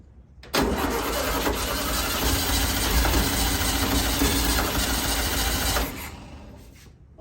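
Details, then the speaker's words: 1964 VW Beetle with the motor newly installed: about five seconds of even cranking near four beats a second that never catches, from fuel starvation due to a faulty mechanical fuel pump, later bypassed with an electric pump. "sound too happy in there does it and still no gas had some issues with this fuel pump"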